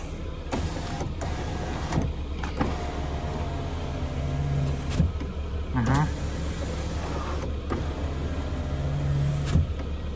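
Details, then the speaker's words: Passenger power window on a Lada Vesta SW Cross after removing the door card and lubricating the window regulator slides: smooth up and down with steady motor hum, squeak at full closing gone, though something still rattles over bumps. "Э, скрип мы устранили, когда закрывается, но что-то дребежит на неровностях."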